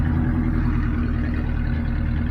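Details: 1979 Ford F800 dump truck with broken 429 V8; deep run with uneven, stumbling low thump rather than smooth beat; sounds like a cylinder misfire, cause unconfirmed.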